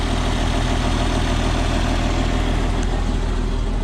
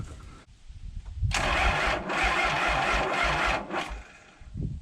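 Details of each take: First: 1994 Isuzu cab-over diesel truck sat 3 years, after starting fluid and fuel additive; even diesel clatter at steady beat, no stumbles or rising knock; healthy settled idle. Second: 1994 Isuzu cab-over truck with 6BG1 diesel, sitting 3 years, fuel primer freed and injectors cracked showing fuel: sluggish uneven cranking about two strokes a second, never catches; batteries suspected dead, not confirmed.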